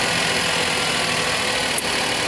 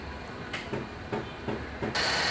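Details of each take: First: Maruti Suzuki WagonR K-series on company-fitted CNG, earlier misfiring on CNG with code P0202 injector circuit open cylinder 2: small engine idling smoothly and evenly on gas, no stumble, after the wiring problem was traced. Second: Maruti Suzuki Wagon R K-series, company-fitted CNG, uneven idle with lumpy thumps about three a second, then loud hiss; misfires only on CNG, smooth on petrol, code P0202 injector circuit open cylinder 2.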